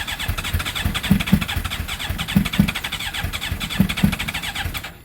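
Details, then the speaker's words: GSXR with a 600-to-750 engine swap, third start attempt: the starter churns with uneven pops, two quick firing bursts about every second and a half, then dies; it almost catches but won't run. "So close. All right, so it's the third fail."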